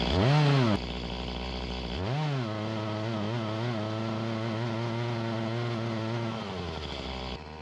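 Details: Echo CS-352 chainsaw that starts then dies, cutting wood; revs up then pitch sags and stays low and laboured instead of pulling clean; lacking power, bogging under load from fuel starvation at the carburetor.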